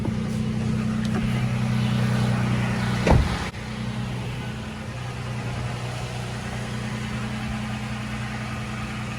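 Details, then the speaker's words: Toyota FJ Cruiser idling, heard from outside, with blower at full: steady low hum, no grinding or hissing after cabin air filter replacement and noisy blower motor fix. "i mean at full crank you can still hear it obviously but uh definitely it doesn't make a weird hissing sound anymore and then i'll also show you the outside of the motor doesn't have that weird grinding noise"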